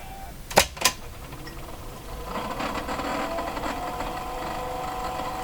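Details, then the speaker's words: RCA Victor 911KG radio motor-driven automatic tuning: two sharp clicks then a rough buzzy motor drone that runs steadily; motor spins but tuning mechanism doesn't engage, sounds like it needs lubrication. "So, the motor didn't engage. It's running, but it didn't engage."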